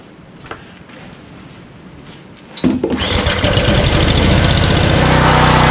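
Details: Honda Harmony HS520 four-stroke single-stage snowblower in 21-degree cold, after a quick-and-dirty carburetor clean, pull-started on choke: after it catches, the speed swings up and down with an uneven, hunting beat. It runs fine on choke but surges off choke, likely fuel-starved.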